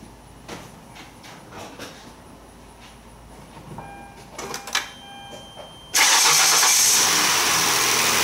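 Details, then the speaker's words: Hyundai V6 with about 120,000–125,000 miles, cold start after valve cover gasket replacement for oil leak onto alternator: engine catches instantly and settles to a steady, even fast idle with no knocks; no check engine light, healthy. "well no check engine light on so far so that's good runs pretty smooth for 120,000 on it 125"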